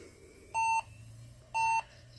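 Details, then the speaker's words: HP EliteDesk 705 G1 SFF at power-on: clear, even electronic beeps about a second apart, five beeps with a flashing LED, a code for a memory/RAM fault. "it's beeping five times in the LED lights flashing photons so it's letting you know it's giving you a code"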